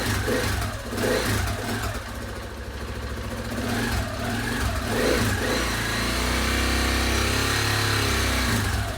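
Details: KTM 690 Enduro R single, after rocker arm replacement and a new battery, first run in 7-8 months, in neutral, valve clearances not yet checked: idle thump, then clean smooth blips with no tapping or clatter. Normal revving.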